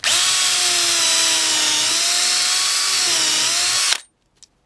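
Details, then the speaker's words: DeWalt DCD710 12V two-speed drill/driver on 2.0Ah battery, second speed, driving a dull countersink bit: steady high whirring motor with slightly wavering pitch for four seconds, then stops; a little slow but copes fine. "this is what I bought it for and it doesn't no problem it is a little slow but it it doesn't"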